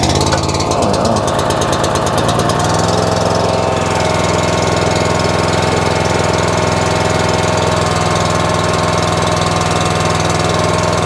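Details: Honda-engined pressure washer with a resealed CAT 5DX40G pump, started with the unloader set to low pressure to purge air: smooth, even single-cylinder beat at constant pitch with no misses or knocks, so it is running normally.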